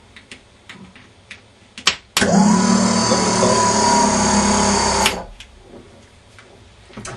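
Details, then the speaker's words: Warn M8000 12 V winch motor (MRV B7) bench-tested directly, bypassing suspect solenoids: clean, steady whir for about three seconds with no grinding or stutter; motor works, connection needs tightening to avoid sparks; normal motor running. "au moins on est sûr que le moteur fonctionne bon faut serrir un peu plus pour éviter les étincelles et cetera mais ça fonctionne"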